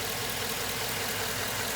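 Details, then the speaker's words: 2007 Chevrolet Suburban V8, about 213,000 miles, idling smoothly with no ticking after a Motor Medic motor flush, oil change and Lucas heavy-duty oil stabilizer; the loud lifter tick from suspected clogged lifters (none collapsed) is gone. "that sounds pretty good it sounds a lot better wow i'm actually pretty impressed the lifter tick is completely gone"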